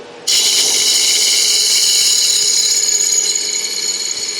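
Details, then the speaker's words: Wood lathe turning a 4x4x4 inch blank for a lidded box: steady cutting hiss with light irregular ticking as the gouge taps on the blank not yet trued round; tapping stops once it runs smooth. "so you can hear the when tapping when it's not quite round when it's not quite true yet you'll hear it tapping so i like that's a technique i like to use it's easier than having to stop and start all the time"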